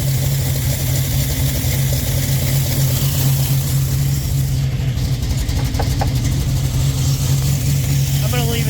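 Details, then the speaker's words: 1967 Chevy Nova small-block with FiTech EFI warming up after injector cleaning: steady, even low idle hum with no ticks, knocks or misses; owner hopes nothing was damaged. "the ear detector doesn't hear anything anus and it sounds pretty good so we might have gotten lucky and didn't hurt anything"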